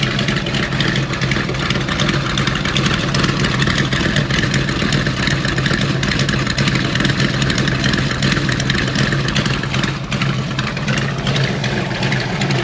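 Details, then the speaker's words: 413 hot rod coupe with magneto ignition and fuel pump, started after sitting a couple of weeks: loud, lumpy, throaty idle with steady revving blips, no knocks or rattles; strong, healthy running engine. "Hopefully all of you like the sound as much as we do. And it definitely has to sound better in person than it does on this camera. It sounds killer."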